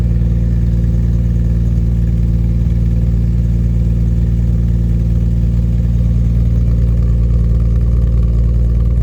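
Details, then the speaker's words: 1989 Jaguar XJS V12 coupe after fitting straight-through stainless pipes replacing rear mid silencers and new transmission mount: smooth deep even rumble with steady beat, no knocks, ticks or exhaust leak; normal idle. "Uh it doesn't sound like it's knocking or um or leaking at all as well, so that's really good."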